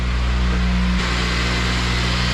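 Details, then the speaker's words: FG2 after a junkyard engine swap, first run at high idle with no check engine light or leaks: smooth, steady hum settling to an even idle with a light injector tick; engine quiet and healthy. "sounds nice and quiet. You can hear the injectors, but motor sounds quiet."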